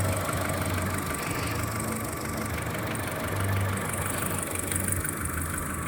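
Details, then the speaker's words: Skoda Fabia 1.4 at cold idle: fast light tapping in time with engine speed over the rumble, heard mostly from below near the timing belt, plus slightly noisy cold hydraulic lifters; dealer calls it normal piston slap, cause unresolved. "Его хорошо слышно издалека, когда машину почти не слышно, а стук слышно."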